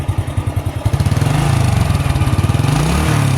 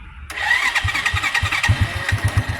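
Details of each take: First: Honda Astrea motorcycle after 28 years of use, now a collection bike with a weak battery: steady single-cylinder idle thump, then a quick throttle blip lifts beat and pitch smoothly and it settles cleanly; normal throttle rev. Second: Honda Astrea motorcycle, 28 years in use, kept as a collection bike: strained, heavy starter whine with slow chugs before the small engine catches, as the long-unreplaced battery is weak; slow cranking from weak battery.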